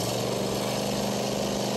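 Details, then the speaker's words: Small single-cylinder lawn mower/generator engine after the carburetor fuel shutoff solenoid was freed with WD-40 and reinstalled: steady, even, fast putter with no stumbling; normal running after the fix. "tighten it up plug it back up and it will start up just fine as long as that solenoid is working like I just showed you this engine is now cranking up fine"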